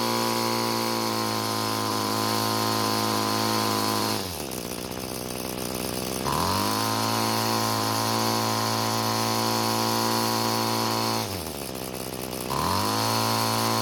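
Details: Free curbside Bolens two-stroke string trimmer that wouldn't start, carb fuel screw being turned counterclockwise after clockwise killed it: high steady scream drops and recovers twice while adjusting, never passing a modest top speed; fastest setting never found.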